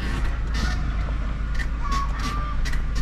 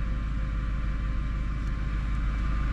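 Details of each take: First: Stationary car gives short high squeaky chirps from the suspension over a steady low hum as it rises; the squeak is loud outside but not heard inside with the windows closed and the AC on. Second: Car driven over bumps after lubricating floating suspension silent blocks with oil by syringe to cure squeaks; only steady low road rumble, no squeaks or creaks at all; quiet suspension.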